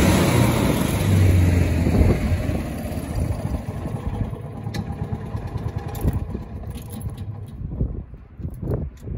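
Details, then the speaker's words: Kawasaki FE290D in a John Deere Gator after new ignition coil cured run-and-die: single-cylinder thump steady and even, drops away cleanly with no stumbling or cutting out; healthy. "guys we got the john deere going one more time put a new coil on it and that fixed the issue"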